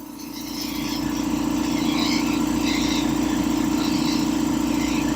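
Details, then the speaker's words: Restored old air compressor, running continuously under use: even, rapid pumping thump at about two and a half strokes per second, rebuilding tank pressure quickly. Normal compressor pump running. "So that pump, it was running continuously, but the pump's keeping up with it. Drops just a little bit. It builds it right back up real quick."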